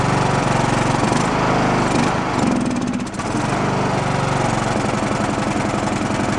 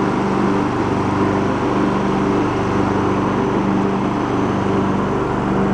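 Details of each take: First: Abandoned Poulan Pro riding mower single-cylinder, valves roughly adjusted, suspected blown head gasket, on choke: chugs unevenly, sagging and stumbling before picking up; messy carb with no idle circuit, runs only on choke, no bottom-end knock. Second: Abandoned Poulan Pro riding mower being revived, after choke adjustment (earlier popping, as if running rich, missing fuel filter): steady, even engine drone holds pitch with cutting deck engaged, no misses or popping; running healthy under load.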